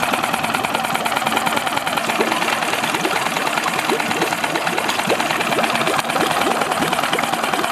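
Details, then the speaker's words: Honda outboard motor after its clogged idle jet was cleaned with a fine wire and refitted ticks over at a steady, even idle with fast regular firing and no stumbling or misses; the fix restored a proper idle. "so I'm going to put it back in the engine now start it up and show you that the engine idles properly"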